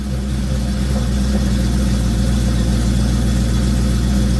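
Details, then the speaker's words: Mercedes CLK55 AMG with M113K supercharged V8 swap, EVAP blocked off and O2 sensor codes; after cold start deep loud idle with uneven loping beat, stumbles as it drops then clears itself; cause not found. "yeah it clears up quick it's just it's going to stumble a little bit when it falls down and then it just clears itself"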